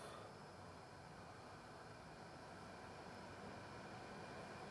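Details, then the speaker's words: Lexus RX400h with a P3105 battery fault: hybrid battery cooling fans commanded on via a Launch X431 Torque 5 actuation test, battery cover off. A steady, even vacuum-like rush at high speed with no rattle or scrape; normal fan operation. "so I can hear them ramping up now it is quite loud because I have the battery cover off it sounds like a little tornado back there vacuum cleaner but those fans are getting pretty loud they're all the way on high speed now"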